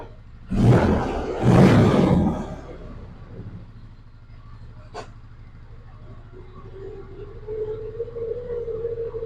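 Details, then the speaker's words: 2004 Polaris Ranger 500 4x4 after primary and secondary clutch replacement for a hard-shift problem that occurred while running. Steady low idle rumble; shifts to low, high, neutral and reverse go through without clunk or grind. "All right, let me shift it into low. Shifts fine. Shift it into high. Back into neutral. Reverse."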